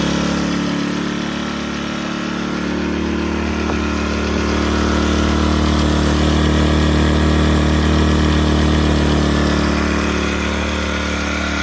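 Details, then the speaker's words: Sportsman GEN1000i inverter generator, warmed up with choke at about half and gas cap vent opened slightly; owner added rubber dampening pieces between plastic side panels at the gas tank. Steady, smooth low hum, even beat, no surging or rattles: very quiet normal running. "Very quiet running unit. I put a couple dampening rubber pieces between each plastic side panel in the gas tank, which I found to quiet the unit"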